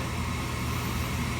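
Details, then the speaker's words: Slant-Fin VSPH-120 gas boiler, inducer fan spinning up after thermostat call, before igniter; smooth steady whoosh, no rattle or scrape, normal pre-ignition fan run. "sorry I kind of jumped a little bit you know the relay still gets me so I believe the igniter will start"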